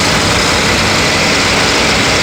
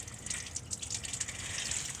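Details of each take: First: Pontiac Aztek being checked for overheating, engine idling: loud, steady roar of rushing air from the cooling fans on high speed, easing slightly near the end; fans work, overheating cause still unknown. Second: Pontiac Aztek overheating, with the overflow tank filled: hissy, steady splashing gush of coolant, no engine note, from the hose to the heater core snapped off its plastic fitting underneath; coolant leak.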